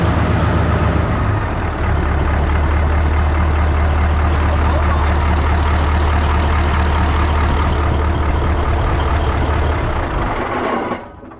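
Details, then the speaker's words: 1980 Peterbilt 359, Cat 3408 diesel revived after years sitting, exhaust stack not yet fitted: deep steady even idle with no knocks or misses, then winds down and stops; smooth, runs like a top. Normal idle. "Wow. It's smooth. Dude, it runs like a top."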